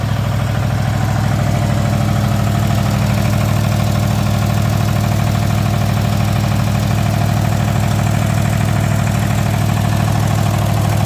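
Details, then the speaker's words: Cub Cadet engine after new starter solenoid and cleaned magneto coils, idling steady and even with a smooth low pulse and no misses or knocks; running healthy. "I replaced the uh starter solenoid and then I uh cleaned up the the magnets and there you go she's running I'm going to let it warm up so I can drain the oil"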